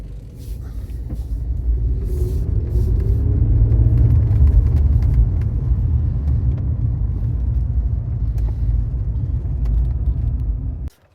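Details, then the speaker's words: Engine on cold start: revs up and settles with a faint light tick over the rumble; hydraulic lifter tick expected to disappear once warmed up. "there we go it's just a little tiny tick which is coming from the lifters and that should disappear with a little bit of use or even just warm it up to temperature and that should disappear"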